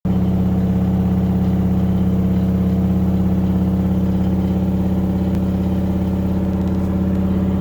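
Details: LG washing machine during spin cycle: loud steady low roar with fast even pulsing, far noisier than normal; cause not yet clear.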